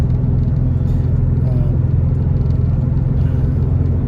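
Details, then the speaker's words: 2008 Nissan Murano driving with the check engine light flashing, just after spark plug replacement with intake manifold removal: a low rumble with an uneven stumble, a misfire; owner suspects a cylinder 5 leak from unreplaced gaskets or a bad coil pack, unconfirmed. "Probably because I didn't replace any gaskets and do anything like that, and now cylinder 5 has a leak or that's what's causing the misfire or something redonkulous like that."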